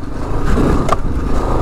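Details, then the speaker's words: 2022 Kawasaki KLR 650, fuel injected with aftermarket exhaust, heavily loaded off-road; steady engine and wind rumble then one sharp knock as front lands after a small wheelie over a bump, forks possibly bottoming out: suspension clunk. "So you can hear that. I'm not sure if it completely bottomed out there, but just that little wheelie over that bump. So these forks aren't really made for this kind of stuff when at least you're carrying this much weight."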